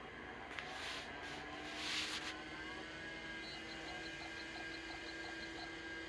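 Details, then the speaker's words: Macintosh Plus hard drive, reassembled after its stuck heads and platter were freed by hand: a faint steady whine with light, regular head ticks as it spins up; online and passed the self test. "see yay it's online it passed the self test you know it kind of helps if it can spin"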